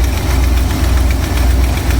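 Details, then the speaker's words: 1995 Ford Jayco RV: rough low idle with fast ticking rattle over exhaust pulses, quiet under slow acceleration but loud when accelerating fast or under load; owner suspected vacuum leak or plug wire, found exhaust manifold leak. "you can hear that if I accelerate slowly you don't hear it but if I do this if I accelerate fast or if I put load when I'm driving it it's it's pretty loud"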